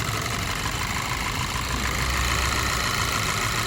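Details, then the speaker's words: Skoda Superb petrol idling rough and lumpy with cylinder 3 coil connector unplugged, no change in idle, confirming cylinder 3 ignition coil faulty (codes P0303, P0352/P0353); plug also to be checked; misfire, dead cylinder. "य देखो कुछ भी फरक नहीं पड़ा तीन number का निकालने के बाद कुछ भी फर्क नहीं पड़ा"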